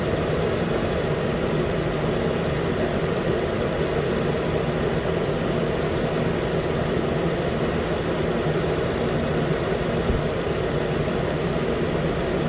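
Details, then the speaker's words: 2013 Nissan Pathfinder, 265k miles, after new AC clutch and serpentine belt; compressor running as cabin is hot: steady even idle, low hum, no knocks, squeals or chatter; healthy. "so yeah now the compressor is gonna rotate for a while because the car inside is pretty hot so it's not gonna stop the clutch or not"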